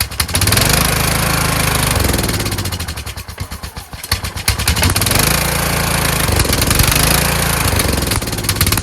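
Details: Kohler Courage engine on a tractor, after a cylinder head swap, carburetor replacement and valve lash adjustment, started on choke; it surges and sags, nearly stalling before picking up. Owner suspects the throttle bracket and the return spring.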